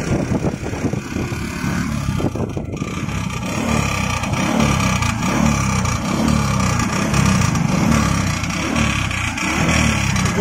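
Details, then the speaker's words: Bajaj Platina motorcycle idling with an uneven, rattly clatter about once a second over its steady low thrum, apparently coming from outside the engine; other mechanics blamed the engine or cam chain adjuster; cause unknown. "Bike start करके आपको हम बता रहे हैं कहाँ की आवाज़ है, कैसी आवाज़ है, बहुत अजीब आवाज़ है। इसी आवाज़ की वजह से लोग इंजन भी खोल देते हैं और कमी फिर भी नहीं दूर होती है।"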